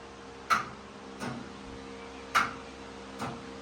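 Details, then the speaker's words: 1977 Bobcat 631 skid steer with poor electrics, key turned opposite the start position: four sharp single clicks about a second apart over faint hum, no cranking; sounds like a relay or solenoid, cause unknown, owner puzzled by the clicking. "If I turn it the other way. Nothing. And keep going. Click."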